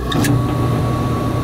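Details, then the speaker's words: Gas furnace with a homeowner-replaced blower motor that would not shut off, after swapping wires to reverse rotation: steady motor hum and constant whir with rushing air, no scraping; now spinning the right way and blowing, normal. "yeah now the rotation is right see it's spinning and blowing"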